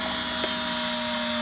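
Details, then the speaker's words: Privileg 5140 washing machine motor, rewired directly after stripping cabling, run with no load and no belt; smooth steady whirr with constant hum and brush hiss, no scraping or knocking, working motor, normal no-load running. "We've got a working motor."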